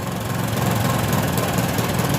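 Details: 2011 Yamaha Jupiter MX carbureted motorcycle losing power when riding and uphill; low, uneven idle with a loping beat and dropped firing pulses. Misfire traced to a weak stator charging coil giving weak spark.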